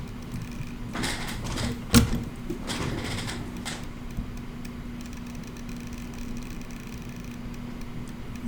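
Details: Xbox One X that makes a noise when plugged in and powers off: a few sharp clicks, then a thin steady whine; 12 V output measured solid, but the power supply is judged faulty.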